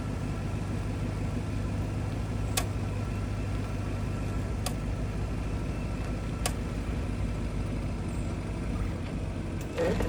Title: 2025 Audi RS6, what’s the clicking sound from front wheels? dealership has no answers. #audiworld